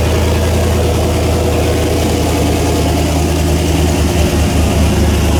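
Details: Engine running after a head gasket replacement on one side, with copper RTV and reused parts; loud, steady low idle with even beat and no tapping, hiss or misfire; runs smoothly.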